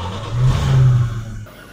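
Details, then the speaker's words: 1967 Dodge Coronet 440 sedan, restored 318 V8 with Holley Sniper fuel injection, automatic, stainless dual exhaust: start-up with deep, clean V8 rumble swelling in a quick rev and settling smoothly without stumbles or knocks; runs smooth as glass, a healthy start. "All right, so we fired it up so you can hear how this 318 sounds. And you can see she runs smooth as glass."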